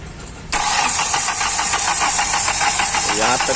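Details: Hyundai i20 1.4 CRDi diesel (Delphi injectors), no codes: cranks evenly and briskly about three and a half pulses a second but won't start; rail pressure only about 1711, needs over 2000 bar; injector return leakage being checked.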